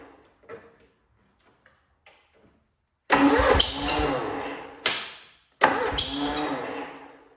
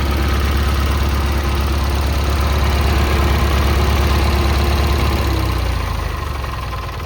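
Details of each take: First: Cub Cadet Cyclops, Kohler 18 twin with fresh 10W40, cold start: it catches in ragged bursts, stumbles and dies twice before refiring unevenly. Owner suspects the muffler, a bad coil or plug, and not firing on both cylinders; finding: blown head gasket. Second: Kohler 18 twin on a Cub Cadet Cyclops, started via battery pack wired to the starter after replacing the head for a badly blown head gasket, catches and settles into a steady, even idle with no knocks or misses, then choked off.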